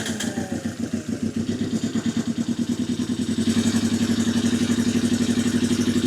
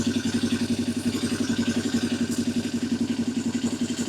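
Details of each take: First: 1982 Yamaha XS 250 Special 250cc twin being revived, on a bigger battery: fires without choke and settles into an even, slightly lumpy idle with steady firing pulses and no knocking; runs fine. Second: 1982 Yamaha XS250 Special 250cc twin before carb balancing: lumpy idle pulsing three to four times a second with uneven beats; the carburettors are unsynchronised.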